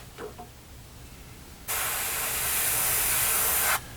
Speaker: no sputtering hear it no sputtering my friend Matt McDougall likes to scream at his compressor